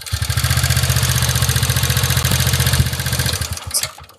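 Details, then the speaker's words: TVS Ntorq 125 scooter, about a month without servicing, idling with a fast, uneven rattly chatter of about three to four beats a second over a low putter before it dies away; abnormal engine noise, cause not confirmed. "এইটো exact এণ্টকৰ main problem এইটোৱে আপোনাৰ শুনিব"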